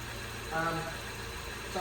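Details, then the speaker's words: 1999 Toyota Celica 1.8 SR, first start after sitting 7.5 years in a garage, plugs removed and refitted, fresh petrol, throttle cable seized: low steady idle with an even beat and no knocks or misses; engine running smoothly. "um it's running trust the toyota to kind of work now"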